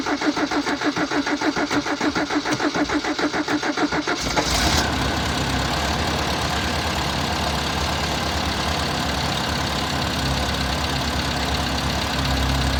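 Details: Toyota six-wheeled truck, carbureted, after replacing the fuel filter (previously installed backwards) and spark plugs: four seconds of cranking, then a loud idle with an uneven, lumpy beat that never smooths; rough idle persists.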